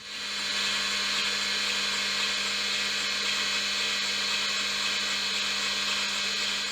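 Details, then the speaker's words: IBM XT 5160 hard drive throwing 1701 error: steady high spindle whine with faint ticking about four times a second as heads seek back and forth without resetting; heads not stuck, low-level format considered. "It sounds like the heads are going back and forth back and forth, but maybe we can revive it"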